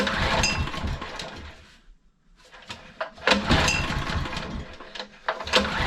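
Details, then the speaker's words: Honda EG1900X generator with GX140 petrol engine, stored over 10 years, untouched, fuel tap left on with stale fuel; runs rough and uneven, sags near stalling then picks up, only keeps running on choke, likely fuel starvation. "fuel so it's only running on choke which is expected I mean that fuel is pretty Grim so that doesn't surprise me really but it's run that's that's a good sign"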